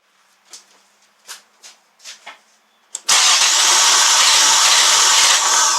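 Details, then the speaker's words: 2000 Nissan Maxima with a bad new crankshaft position sensor bought from Amazon: faint ticks and clicks, then the engine suddenly bursts into a harsh roar, an erratic start. "all right so what you're hearing is uh the result of i'm just going to give you the answer it's a bad crank sensor and the part came off of amazon"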